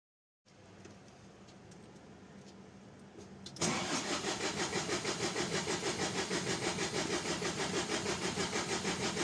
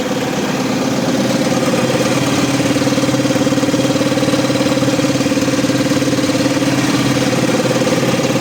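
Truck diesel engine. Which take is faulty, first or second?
first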